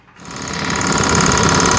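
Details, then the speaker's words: 1992 Mustang GT 5.0 302 V8 running with a fast, even clatter first suspected as rod knock. With the accessory belt removed the knock is gone, so it is from a belt-driven accessory, not the rod or valvetrain. "I pulled that belt off went in there fired it up no knock no knock"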